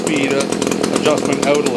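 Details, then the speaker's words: Echo CS-330T top-handle chainsaw, unused for years, hard to start: screams at high revs but surges and sounds thin, starving for fuel at high speed; running lean, likely needs a carb kit, fuel pump diaphragm suspected hardened. "like it's starving at a high speed probably needs a carb kit"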